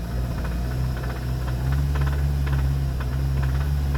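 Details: 2019 VW Arteon 2.0 TSI DJHC 280 PS, 50,757 miles, knocking began within 3,000 miles of purchase: low drone with light irregular knocks three to four a second as revs rise, only above about 2-3k rpm; cause unknown.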